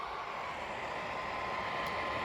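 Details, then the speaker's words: PS4 Pro with possibly corrupted system software, running on the update menu: a loud, steady rushing roar with a faint high tone and no let-up; cooling fan running far harder than normal. "yes this thing's loud oh my"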